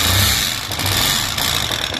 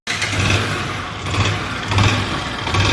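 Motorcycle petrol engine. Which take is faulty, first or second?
first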